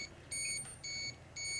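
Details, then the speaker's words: Radiation detectors in Chernobyl Hospital 126 basement among contaminated firefighter clothing, reading 600–700 µSv/h to over 1 mSv/h: shrill beeps in bursts about twice a second; high dose-rate alarm. "I was getting intense readings as you can hear lots and lots of counts all the devices I had with me are in aarm mode you can hear the beeps and clicks and everything"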